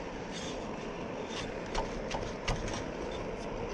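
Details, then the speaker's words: Bucktool 2x42 belt grinder/bench grinder, platen set too proud: steady rushing hiss with faint scraping and irregular ticks as the back of the belt rolls on the platen; quieter once the platen is backed off. "that sounds like the back of the belt's rolling on it probably don't need to be that proud on it"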